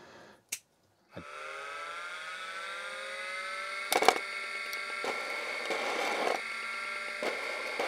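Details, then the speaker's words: MFM hard drive pulled from a 286 clone, already suspected dead, run again after its motor was removed and manipulated: rising spin-up whine, then irregular scraping clicks and rough bursts from loose internal parts rattling; the drive is marked bad. "That actually sounds very broken. So I think I just made it worse."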